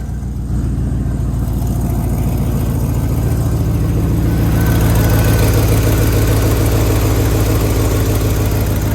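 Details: 2007 Chevy Tahoe 5.3 V8 idling just after alternator replacement, battery light now off: steady, even low idle with a smooth rhythm and no squeal, knock or ticking. The engine sounds healthy.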